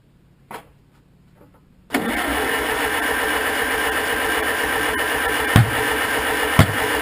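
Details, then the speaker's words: 1947 Farmall M tractor, first start after rebuild, timing being advanced: steady cranking with two sharp pops that backfire out the exhaust. No spark suspected and the magneto timing is in doubt; intermittent pops but no start. "that kind of sounded like that back player came right out the exhaust pipe well we're getting some pops anyway"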